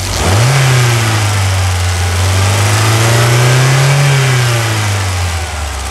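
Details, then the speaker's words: Jeep Renegade gasoline engine revved after water pump replacement for a cooling-system leak, with new reservoir and cleaned TBI: engine blips up, holds a smooth rising drone and drops back cleanly, no whine, squeal or knock; normal revving. "acelera é muita melodia é moçada podemos falar o que quiser né mas igual um barulho do motor a diesel não tem né"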